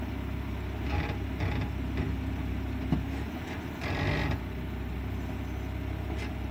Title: Brake noise - reverse to drive, etc